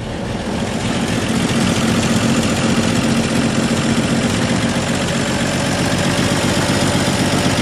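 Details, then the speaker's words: 1958 Chevy Apache pickup, newly installed used V8, first start with fuel poured into the carburetor: loud, lumpy, uneven idle; owner suspects too much fuel was added. "I think I got too much fuel in there though"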